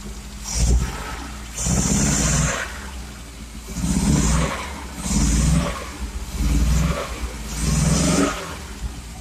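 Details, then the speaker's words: Cold, half-choked engine after timing chain cover seal and gasket replacement runs rough with uneven surging revs and exhaust puffs and pops; owner suspects an ignition problem despite new coil, leads, spark plugs and electronic ignition module; cause unclear. "I think it's a it's a firing problem it seems to be it seems to be backfiring a bit I'm sure there's some sort of ignition problem"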